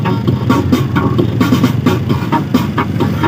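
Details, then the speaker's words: Star Crown amplifier powered on and playing music: rough, garbled output with gritty crackle on loud beats, and the other channel is silent. Rusted parts and a broken resistor were found, and the main amp is to be taken apart. "Yan, ganyan ang tunog niya. Garalgal. Yan o. Hindi siya malinis, hindi mo makantahan to pag ganito ang tunog."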